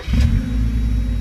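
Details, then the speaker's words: Mazda Miata cold start: short crank, fires immediately, settles into a deep, steady, even idle with no tick noise; healthy cold start. "the motor is cold so we're going to show how nice and smooth it runs hopefully you can hear this on the video no taic noise nothing just very very clean mo"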